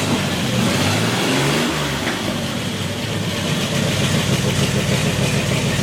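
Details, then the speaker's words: Old V8 in a 1932 Ford gasser truck, engine sat 40-plus years, first start with no water or fan belt, oil pressure about 42; steady even idle rumble with no knocks or misses; normal idle. "oh that sounded beautiful too how long did that motor set for 40 something years old"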